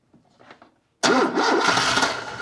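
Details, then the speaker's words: 1978 Lada Niva, parked in a hedge two years, first start attempt on a weak battery: quiet clicking, then the engine catches in a loud uneven burst that stumbles and sags, nearly firing but not settling. "Ooh, it's getting very close now. Oh, I don't have a lot of power on the battery, so it needs to be now or not today."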